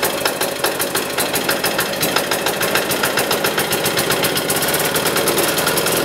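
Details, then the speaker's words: Military diesel generator running with its spark arrestor fitted: an uneven chug at about two beats a second, with crackling and bogging. The spark arrestor creates heavy exhaust back pressure and causes rough running, which improves once it is removed. "this thing was happened like loads of back pressure to the point where it was just bogging down crackling not sounding good"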